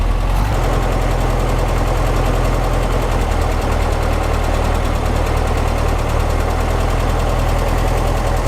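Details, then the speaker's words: 1955 Porsche 356 Pre-A Speedster, stone cold, at a steady, even idle on both freshly installed Zenith carburetors without air cleaners; hitting on all four cylinders, smooth, no misses or knocks, no carb leaks; initial setup before warm retune. "It sounds pretty good. It's hitting on all four. It sounds pretty smooth, and it feels smooth as well, which is great."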